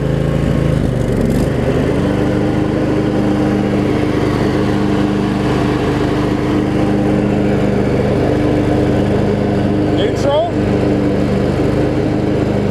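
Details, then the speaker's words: Craftsman riding mower with Briggs V-twin, after valve cover reseal and blade-engage repair, blades engaged: steady, even drone with no rubbing or grinding from the spindles or deck; healthy under blade load. "but you can hear the there's no like terrible noise coming from the spindles or anything like that"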